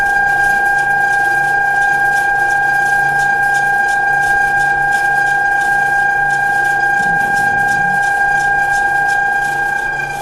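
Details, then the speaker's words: Harbor Freight Central Machinery 14-inch woodworking band saw running after basic blade guide and bearing adjustment top and bottom; even steady motor hum, clean pitch, no thumping or knock from blade; runs smoothly. "so you can see now that it's adjusted if i wiggle the blade much better should run well"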